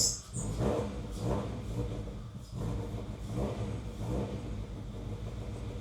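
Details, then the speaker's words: Honda CR-V with misfire on all four cylinders, running very rich, just after correcting distributor firing order; low uneven lumpy rumble with no steady idle; rough running, cause not found, owner suspects fuel pressure regulator. "Okay. Open a prayer. That sounded really bad."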